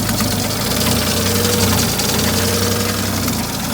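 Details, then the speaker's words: New project car, a little smoke at start and probably stale fuel and oil: rough, busy idle with ticking and a faint whine; owner suspects the empty power steering and the water pump. Noisy idle, cause unconfirmed. "Another 31 on oil or something. Making nasty noises. So she's running."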